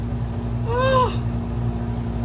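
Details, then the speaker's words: RV air conditioner running after repair, fan and compressor on, blowing cold: loud, even low drone with no grinding, rattling or squeal; unit running normally. "okay fan compressor can I get some cold air makes a lot of noise holy crap it's blowing cold"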